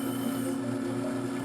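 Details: Raytech-Shaw handpiece faceting machine, recently rebalanced, cutting a tiny Montana sapphire: steady low hum under an even, gritty hiss that never drops out, showing the stone is still on the lap and grinding.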